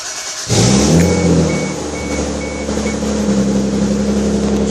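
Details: 1989 Toyota Supra with the 7M-GE engine, just after a timing fix for a slight tick, started before warm-up: it catches and settles into a steady, even run with smooth revving and no ticking heard. Sounds healthy, though it still uses a lot of gas.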